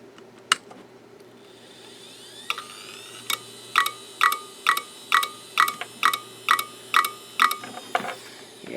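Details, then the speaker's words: Western Digital Caviar 10GB IDE drive from eBay, failed: sharp metallic clicks about two a second over several seconds on a quiet spin hum; click of death, most likely a head failure of some kind. "So, that definitely has the click of death indicating most likely a head failure of some kind."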